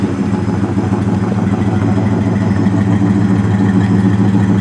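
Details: 1970 Dodge Coronet 500 convertible, checked for a totally dead no-start despite a new battery, idling outside. Its V8 gives a deep, steady burble with an even rhythm and no misses, knocks or hunting; a normal idle.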